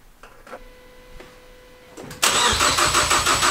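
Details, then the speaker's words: Freshly built Focus ST engine after a swap, first cranking with break-in oil (about 7 quarts, balance shaft delete, oil cooler) while priming the oil system: a few clicks, then steady even chuffing, good compression, no firing. "The engine's turning over. Yeah. Yeah, it has compression."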